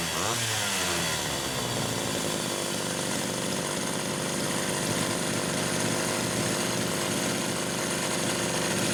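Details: Rebuilt Homelite Super XL carburetor no. 3, fitted with a new pump diaphragm, test-run with the throttle worked by hand after the linkage slipped: short rev blip, then a clean, steady two-stroke buzz with no stumbling or surging; runs normally, idle speed adjusted.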